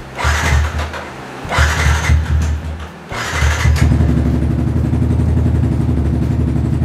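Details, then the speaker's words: Yamaha Xabre 150 in its sixth year, with no kickstarter, after a battery replacement; it previously would not electric-start: three short starter whirrs, then it fires within about three seconds into a steady, even idle. "lancar jaya, bisa di starter dan oke, karena udah selesai, kita tutup kembali."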